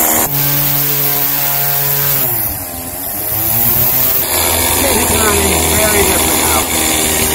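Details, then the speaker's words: Two-stroke engine running on fuel with too much oil: high buzz sags and claws back, idle and top speed down, about 200 rpm short of top speed. Rough running from excess oil in fuel. "Literally, I felt the oil hit the engine. It felt so different. It was just instant. It felt so bad. It's definitely running differently."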